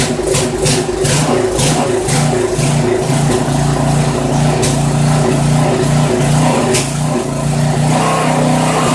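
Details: Poulan 900 rototiller, small Briggs & Stratton single-cylinder, restarted with the air filter removed after the clogged filter was found: uneven popping, surging and stumbling. Rough running; carburetor needs cleaning, suspected, not confirmed.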